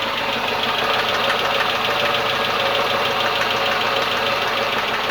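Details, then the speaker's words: Renault Logan engine, rocker shaft bolt repeatedly pulling out: sharp fast metallic clatter over idle tied to engine speed; loose rocker shaft, knocking only in the head and never when cold. "только крутанул мотор тра-та-та-та-та здравствуй дорогой снова он стучит"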